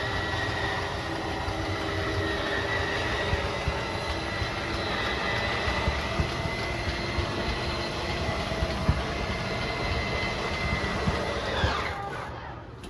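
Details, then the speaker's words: 2022 Forest River RPOD 202 slide room fully extended: steady electric motor drone with faint whine as motors square off, then winding down and shutting off; normal slide motor operation. "So once that slide's fully extended, we're just going to hear the motors kind of whine a little bit, and they'll square themselves off and then turn themselves off."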